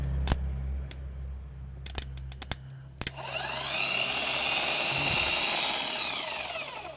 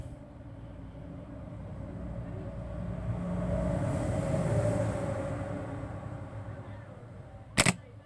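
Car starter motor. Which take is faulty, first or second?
second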